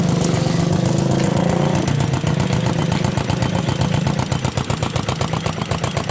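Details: Yamaha Jupiter MX that kept a loud tek-tek tapping after its rocker arms were replaced, heard after the repair with a super racing exhaust fitted: a steady idle of about two to three pulses a second, a throaty exhaust, and no top-end tapping.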